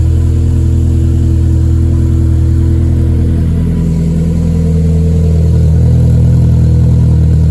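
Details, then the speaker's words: Cold start after a long time off the road, once reversed fuel lines were corrected: deep steady idle with even beat settling as it warms, no misses or knocks; runs healthy. "get the interior all put together mostly enough to start the car. So now we finally hear a cold start."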